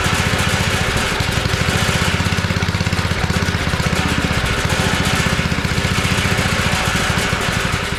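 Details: Abandoned tiller, first run on two-cycle gas while leaking fuel: rapid, hard pulses at a steady fast beat that hold revs only on choke, a sign of a clogged carburetor.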